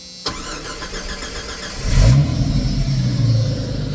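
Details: 1989 Jeep Cherokee XJ Renix with intermittent fuel pump cut-out stalling; start with fuel pressure gauge on service port, brief crank then clean catch to steady idle; pressure about 30 psi at idle, near 40 with regulator vacuum off, pump fine.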